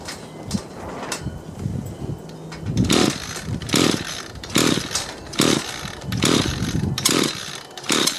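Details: Echo gas string trimmer repaired with 3D-printed parts, fuelled, primer pumped, choke on: repeated pulls bring sharp two-stroke pops, then short revving bursts as the small engine fires and runs on choke; normal start and run.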